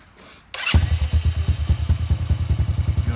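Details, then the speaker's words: Icebear/Hellcat bike in neutral during carb idle tuning, engine cold; slow, lumpy low thump sagging as if struggling, idling low because it is cold; low cold idle. "right now it's hiding a little warmth down down a little low because it's cold you see how you'll hear you the in general sound like it's struggling if it's not idling"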